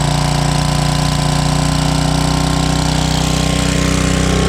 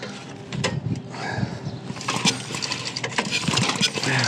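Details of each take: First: 1995 Briggs & Stratton Gen Power 8 hp generator, long stored, just started after carburetor cleaning: loud steady drone, then revs sag and hunt up and down near the end, surging because the freshly cleaned carburetor was bone dry. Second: 1995 Briggs and Stratton generator, recoil pull after carburetor cleaning, before first start attempt: firm, even chuffs as the piston comes over; good compression.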